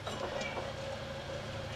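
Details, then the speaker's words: Hustler 54-inch ZTR mower with 350 hours, deck spindle after new bearings, spun on the workbench: quiet, even spin with a faint steady hum and no grinding; healthy spindle bearings. "that is very smooth right there nice and smooth you can't really hear it"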